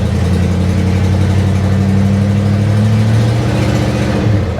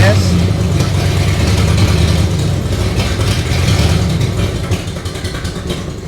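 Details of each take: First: 1976 Chevy or 1964 Chrysler after capping taped-over vacuum ports (suspected vacuum leak): low, steady hum with a smooth unbroken beat, no hiss or hunting; idling evenly, running better. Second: Carbureted 50-year-old vehicle (1976 Chevy or 1964 Chrysler) that ran smoothly, then sat a few weeks: low, uneven idle stumbling every few beats with a dead miss; owner suspects spark plugs or debris in the carburetor.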